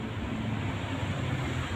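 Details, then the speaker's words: Canon iR 4570 copier, super noisy during warm-up with paper jamming: loud, steady grinding roar from the fuser, whose stripped mounting bolt lets the fuser gear and fuser motor gear mesh loosely. "ini bersumber dari fixing tidak salah lagi jika suara berisik dari fixing maka itu akibat hubungan gear fixing dan juga gear dari motor fixing yang longgar"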